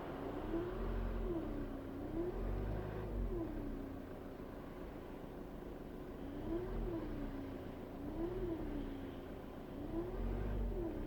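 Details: 2008 Ford Focus 1.8 TDCi, winter, no warning or overheating: wavering meow-like whine rising and falling every second or two over diesel idle; leaking coolant pump ran dry after coolant was lost (dealer first guessed turbo, then alternator).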